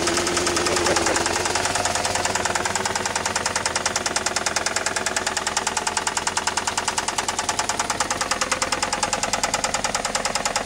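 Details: 1999 Saturn SL2 1.9L twin cam petrol engine that starts every time but smokes, running with a heavy, steady knock about three times a second: rod knock.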